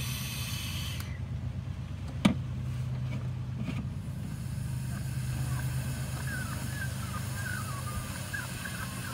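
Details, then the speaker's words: 2000 Saturn S-series, 250,000+ miles, rough idle and stalls when hot; smoke test finds a big vacuum leak at the intake manifold where it bolts to the block under the fuel rail, a soft steady airy hiss over a low hum. "I found back here is a really big leak and you can hear it hiss"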